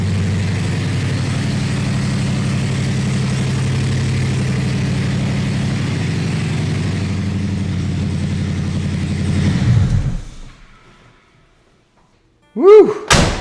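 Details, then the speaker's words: Gen 3 Hemi swapped into a 1966 Dodge Coronet restomod, first start: loud, deep, even rumble with steady firing through open headers, no knocks or misses; normal running. "Did you hear the sound of thunder? That is super exciting and very very fulfilling that we did all this work"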